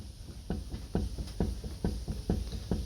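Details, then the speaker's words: MFI Yamaha jet boat trailer wheel with bearing buddies, rocked by hand. Faint dull clunks about twice a second reveal wheel bearing play. "if you hear that mine's got a little bit of play so what we're gonna do is we're gonna pop these off and we're going to adjust it"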